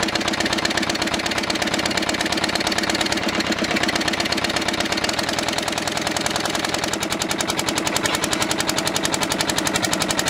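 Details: Old twin-cylinder diesel vibratory roller that broke down about 20 years ago, first run after years: hard, rapid knocking with a sharp clattery edge, likely not firing on both cylinders; misfire, owner suspects debris in an injector.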